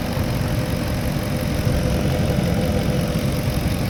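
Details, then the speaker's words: Porsche Cayenne Turbo 955 after coolant leak repairs and rerouted vacuum lines, with no leaks or warning lights: smooth, deep, even idle with a steady low rumble and no misses, ticks or surging; runs healthy. "anyway uh now it's running like nice and smooth"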